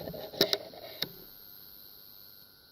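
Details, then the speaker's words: Old AN/PDR-20 radiation survey meter, headset held against the phone: quiet background with three sharp clicks, then near silence; normal operation with occasional detection clicks. "well okay oh there's a click maybe I really don't know"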